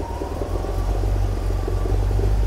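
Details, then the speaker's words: Chevrolet 350 V8 in a 1971 Triumph TR6, cold start with headers: deep, steady rumble settling into an even idle with no misses or knocks; normal cold idle. "it's cold right now I mean here's the exhaust manifolds down here I'm not worried about touching anything so go ahead and start it up you can see it starts real good it runs really good"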